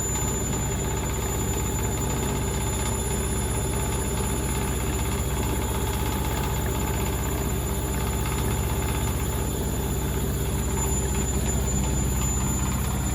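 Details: Candy Grand O Vita GV139D3 street-find washing machine (9 kg) near the end of the 14-minute rapid wash: fast steady drum roar with an even hum and light rattle of loose items on top; normal high-speed final spin.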